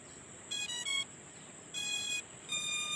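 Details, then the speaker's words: SJRC F11 4K Pro drone powered on with its button: three short bursts of high electronic beeps over a steady hum, signalling the drone is on. "Kalau dia ada berbunyi itu petanda kalau drone-nya udah nyala ya teman-teman."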